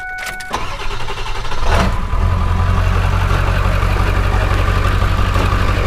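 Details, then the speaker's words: Ford 7.3 Powerstroke diesel with cut exhaust; short crank catches quickly and settles into an even deep idle with no stumble or shake, normal start. "um starts up nice and Flawless here's another example of what these sound like when they're running proper"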